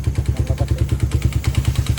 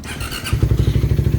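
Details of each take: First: Engine at 110 on the odometer, never refreshed, idling: heavy regular top-end clatter, about three knocks a second. Stretched timing chain jumped, letting the valves hit the pistons, plus piston slap. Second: Single-cylinder motorcycle at 110 odometer, after repair: steady, even low idle thump with no ticking or piston slap, quiet compared to the earlier noisy state; exhaust pipe still somewhat loud.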